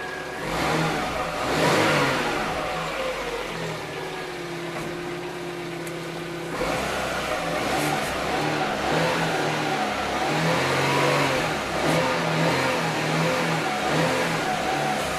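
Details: Engine running with a new power steering pump, replacing a used Shanghai-built 1.6 pump that droned: steady mid-pitched mechanical noise, no pronounced pump whine; normal operation.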